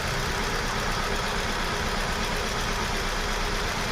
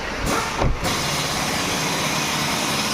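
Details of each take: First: Hyundai Venue showing codes P0300 and P0301, engine light on, unstable rpm: uneven idle stumbling about twice a second, cylinder 1 dead because the ECM sends no pulse to the cylinder 1 and 2 injectors; fixed by ECM repair. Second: Hyundai Venue after ECM repair: codes P0300/P0301 had come from missing supply pulses to injectors 1 and 2. Engine now blips, then settles into a steady, even idle with no stumbling or hunting. Misfire and RPM problem solved, scan shows no faults.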